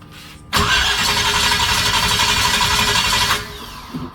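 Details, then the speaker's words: Chevy 350 small-block V8 in a Toyota Land Cruiser HJ75 Troopy, after head and rocker work: about three seconds of fast uneven starter cranking that never catches; distributor turns clockwise but plug leads were fitted counterclockwise, also explaining the backfire. "it goes clockwise and I'll put the leads on counterclockwise that's what I did explains the black explains the backfire"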